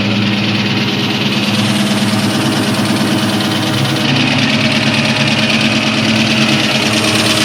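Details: 2003 Ford SVT Cobra V8 at steady idle: dull fairly regular knock around three per second over engine note; piston slap from badly scored pistons.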